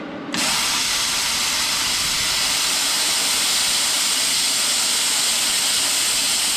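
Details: Jegs plasma cutter turned up to maximum after earlier attempts seemed to backfill: hard, steady, even hiss starts cleanly and holds without sputtering; normal plasma cutting.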